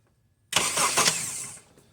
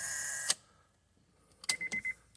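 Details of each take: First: 2008 Honda CR-V with intermittent no-start, starter previously replaced elsewhere, starter fed 12 V manually at the solenoid signal connector: about a second of brisk, even cranking with no grinding or clicking; B+ cable, solenoid feed and starter ground good. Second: Starter circuit check while cranking with the connector plugged in: a thin electrical buzz cuts off with a click, then a quick run of chattering clicks as the starter solenoid relay buzzes from too little control voltage.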